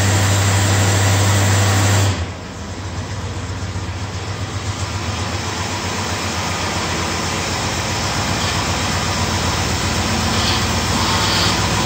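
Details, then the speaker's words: 1955 Studebaker Speedster under restoration, started after months parked: uneven idle with a steady whine on top, air in the freshly rebuilt power steering making the pump whine; needs bleeding. "You can hear the power steering is whining like crazy. I've got to get that bled out, get the air out of that."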